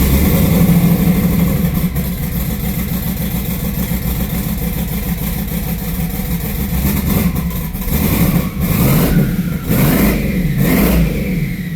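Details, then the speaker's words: Turbocharged V8 (1–3 lb boost, only makes one pound) with dragging starter: uneven, stumbling beat that lopes and surges as it revs; misfire, not firing on all eight cylinders, knock seen in logs despite correct timing and air-fuel ratio. "Yeah, it's got a misfire. It ain't firing on all eight cylinders."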